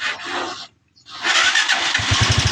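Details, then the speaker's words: Honda TMX 125 Alpha that was hard starting and whose push-button electric start had stopped working, after a part was replaced: short crank, catches on one press, then a steady even idle; normal electric start. "Nagpalit tayo. So i-try natin kung aandar na siya sa kanyang push button. Ayan try natin. Ayan oh. Umandar na. One click lang."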